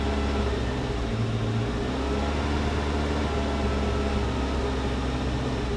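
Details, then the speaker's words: 1988 Saab 900 Turbo with idle control valve removed, owner also suspects mass air flow sensor: steady low drone with unsettled uneven hum, runs poorly; much better once valve refitted; rough idle without idle control valve. "She needs that idle control valve. Yeah, she does."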